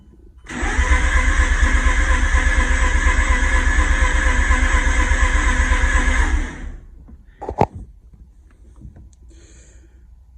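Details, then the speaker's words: Mazda RX-8 R3 rotary at over 160,000 miles after engine failure, cold compression test on the rear rotor: the starter gives steady even pulses; the lowest reading is 68 against Mazda's 67 minimum, so the rear rotor is fairly even and okay. "They're just barely above passing. The lowest one is 68. I think Mazda's bare minimum spec, where it's considered failing, is 67. So the rear rotor is okay, and they're fairly even."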